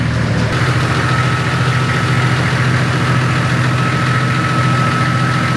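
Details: TD42 diesel Nissan Patrol, freshly built with an F66 turbo, 11 mm boost-compensated pump and 14 lb wastegate spring, on the dyno. Steady diesel clatter at idle with a faint whistle on top, even and unbroken. Normal idle.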